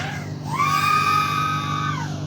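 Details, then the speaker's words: BetaFPV 2004 1700kv motor on an X-Knight 5 toothpick quad, 6S 550mAh: whine sweeps up to a steady high tone and winds down evenly; full throttle smooth with little oscillation, same as Brotherhobby; oscillation only in turns/prop wash. "Full throttle is okay though. Not a lot of oscillation. Same as the Brotherhobby."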